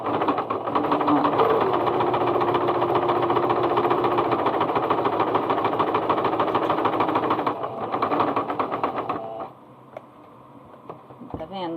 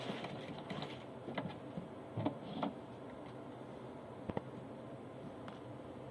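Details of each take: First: Singer Starlet 6680 sewing machine stitching cotton fabric at tension 4: loud clattering and knocking at a fast stitch rate, with a loose stitch, caused by lint and dirt buildup; the fix is cleaning. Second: Singer Starlet 6680 sewing machine after cleaning and oiling: soft, even hum with light ticking, running quietly and smoothly with no knocking or grinding.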